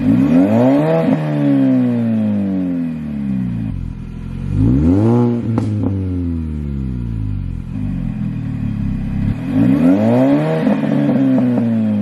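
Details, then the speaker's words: R53 Mini Cooper S started and revved repeatedly: clean revs rising and falling with supercharger whine following engine speed plus exhaust note; normal revving. "i'll give you some start up on the rev off the car as well just so that you can hear like the engine and like the supercharger wine and the exhaust as well"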